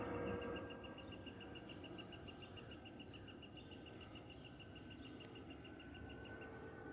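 Steady cabin roar with a thin, high whistle pulsing about three times a second; that's the normal A320 fuel pump whistle.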